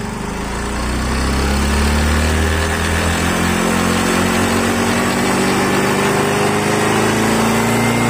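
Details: Yamaha Mio 125 scooter after fixing an intake manifold air leak that stopped it taking throttle: revs climb and fall with a clean rising tone, no stumbling or popping; running normally now.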